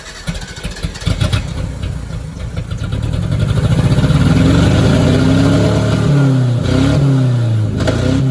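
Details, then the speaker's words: 1990 Mitsubishi Mighty Max, after Seafoam on old plugs, new fuel filter, primed three times: engine catches and settles into a fast idle with an uneven, stumbling beat, still missing on a cylinder but much smoother and little smoke; misfire traced to a bad spark plug. "So I'm gonna say right off the rip, it's still skipping, but the motor sounds like a million times better."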